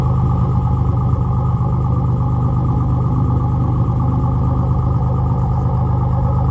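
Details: Nissan Z31 300ZX V6 at idle before top end rebuild: deep idle with uneven, stumbling beat and irregular dips in exhaust pulse, a cylinder misfiring.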